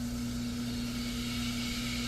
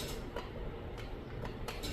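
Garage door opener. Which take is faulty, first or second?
second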